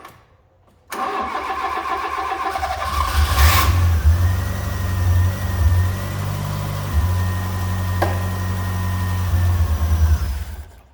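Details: Fiat Punto GT, long unused, first start: cranks and catches, runs a fairly even idle for several seconds, then dies; starts then stalls, owner suspects it ran out of fuel or the fuel is bad.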